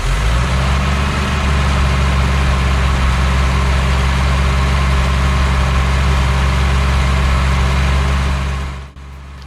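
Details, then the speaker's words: BMW 2002 first start after sitting since about 2008, with fogging oil in the cylinders: steady, fast-ish even idle with little smoke. The idle sits high because the throttle linkage is stuck and tight. "that is incredibly satisfying hardly any smoke out the tailpipe it's running fine idle's a little high but that's because the throttle is kind of stuck the throttle linkage is still very tight but we'll work on that"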